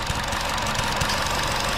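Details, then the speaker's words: 2016 Chevy Sonic LTZ 1.4 turbo with a lean code (171) that failed emissions; with the purge valve disconnected a steady airy hiss sounds over an even idle as it sucks air; vacuum leak from a stuck-open purge valve, which was replaced. "So it's sucking up air. So this could be the problem why we're having a lean condition, that it's 171 code, too much air going in."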